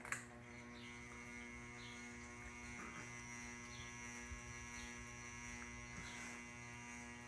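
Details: Ceiling fan running: loud steady low buzz with constant hum underneath; cause unknown, owner assumes electrical.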